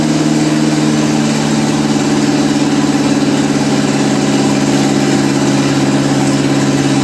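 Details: 1955 Ferguson TEA20 tractor from a junkyard, after years of sitting, started after oil reached the rockers and fuel was added: a steady, even idle hum with a smooth low drone and no knocks or misses; it runs cleanly.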